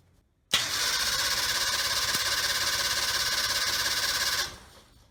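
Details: Suzuki SJ30 (LJ50) Jimny, two-stroke engine with abnormal noise: fires and runs about four seconds with a harsh, rattly metallic clatter over the beat, then stops. Confirmed piston seizure.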